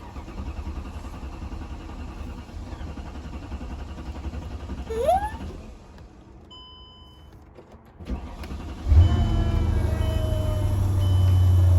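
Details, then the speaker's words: 2006 Mercedes-Benz E55 AMG V8 after left fuel pump assembly replacement, fuel lines drained: hesitates and stumbles before catching, then settles into a steady idle; hard start from the emptied lines, pump audible. "all right i don't know if you guys heard that but there was a hard start because don't forget all of the gas that was in the fuel lines basically leaked out when i disconnected this rubber hose so you're gonna get that hard start"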